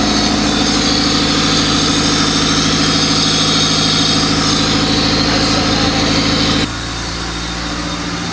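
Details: Lifted Civic project car, OBD1 D16Z6 swap with OBD2B conversion, just started after rewiring: even, steady idle that holds speed without stumbling, settling slightly lower near the end; runs cleanly.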